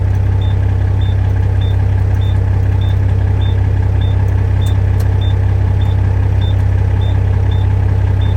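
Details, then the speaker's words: International 9370 truck diesel just started after sitting, idling to charge the batteries; steady low idle with a high-pitched warning beeper repeating evenly about 2.7 times a second, cause unknown. "It's been sitting. Listen to that annoying beeper."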